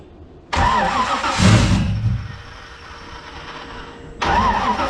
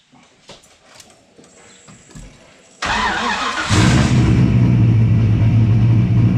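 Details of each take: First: Car with rear radiator and new wideband, fresh spark plugs: starter spins in uneven bursts with pauses, never catches; no-start. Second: Engine first running properly after laptop base/break-in tune, wideband and rear radiator fitted, no muffler yet: cranks briefly, catches, then loud, deep, steady idle with even exhaust beat; running properly.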